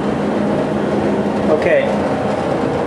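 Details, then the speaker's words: 30+ year old Whirlpool gas dryer LX15501A1 after new thermal switch fixed the no-flame problem: smooth, even drum rumble with steady low hum, no scraping or squeal; running normally. "so I just heard everything's working properly now"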